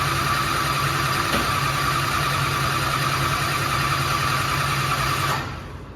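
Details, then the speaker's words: Start after the repair, once two reversed wires were corrected, near operating temperature: strong, steady idle with an even firing beat and no misses, then shut off; all cylinders sound healthy. "S6 now Idol's perfect sounds healthy cylinders are all good it's pretty good temperature so we're pretty close"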